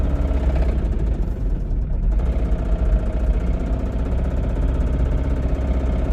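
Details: Toyota Camry with rod knock, idling: heavy, deep idle with a dull knocking buried in the low rumble, consistent with a worn connecting rod bearing.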